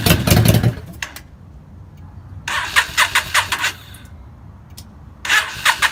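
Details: 2003 Yamaha V-Star 650 with a single Keihin butterfly carburetor: bursts of steady starter cranking, about five compression pulses each, that never fire. It only runs on starting fluid.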